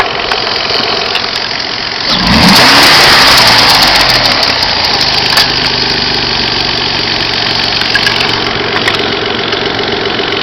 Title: x25xei strange noise